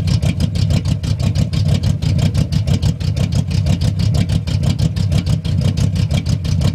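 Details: 1971 Cutlass big block with new Edelbrock Performer intake, 750 cfm Edelbrock carburetor, JEGS fuel pressure regulator and Spectre free-flow air cleaner idles with a deep lumpy rumble, a steady even pulse of about two beats a second and no misses; healthy idle.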